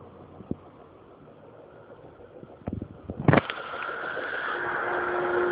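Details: Speakers with only the power cable plugged into the grid and the input cable lying on the floor: a quiet hiss with scattered pops at the speaker, then a steady buzz and hum that grows louder when the volume is turned up; cause unknown.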